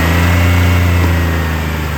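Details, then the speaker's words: 2008 Chevrolet Impala LS 3.5L engine test at idle: steady low idle with slight uneven lope from a bad mass airflow sensor metering air wrongly; engine itself good. "this vehicle does have a bad mass airflow sensor so as you can hear while it's idling it does it's not letting the right amount of air in but the engine is good"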